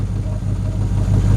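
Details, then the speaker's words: LS1 V8 with cross-ram/side-draft injection and retuned stock PCM, first run on run stand, no throttle cable: low lumpy loping idle shaking the stand; owner suspects a fueling or ignition problem on bank one, not confirmed. "I have a bit of a either a feeling or ignition problem on bank number one is running a bit rough you can see it's shaking the"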